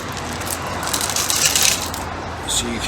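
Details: Audi Q2 tailgate shaken: irregular light clinking and tinkling rattle from broken glass shards left inside the tailgate trim after a rear windscreen replacement; it rattled on every opening until the glass was removed.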